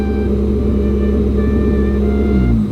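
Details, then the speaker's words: 1998 Honda Civic EK after fitting a cheap eBay idle air control valve: loud idle holds steady then revs sag and waver; surging much less than before, owner unsure if IACV is still the cause. "Oh, there we go. So it's dropping and going a little bit. It's definitely less than it was before though. Before it was a dramatic fluctuation."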